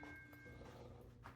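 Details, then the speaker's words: Bally Kings of Steel pinball, Squawk and Talk sound board after rectifier board short repair: soft chime-like tones ring cleanly from the speaker, no buzz or crackle; sound board output normal. "Oh, I heard a bong. It's making sound. I might have fixed it."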